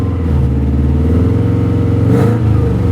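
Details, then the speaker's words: Mercedes GLE 450 with 54,000 miles and hail damage: uneven, lumpy idle with stumbling beat audible in the exhaust, staying rough through a light throttle blip; misfire that doesn't clean up. "this engine is misfiring it's one of the best smoothest idling engines I've ever seen with a misfire I mean seriously but you can hear it in the exhaust"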